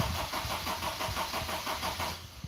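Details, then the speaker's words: MG TF after welding work with the battery reconnected and the fuel pump heard priming: the starter churns evenly for two seconds and never catches. Cranks but won't start; the owner says it usually fires and runs only a few seconds. "Number one, the thing won't run. The strange thing about it is that it fires up fine, it runs fine for those few seconds."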